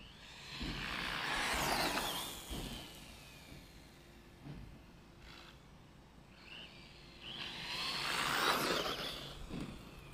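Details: Tekno EB410 RC buggy brushless motor and ESC: stutters, chirps and stalls at low throttle, then smooths out and surges; chirping started on jump faces and worsened; gearing and diffs fine, faulty sensor wire.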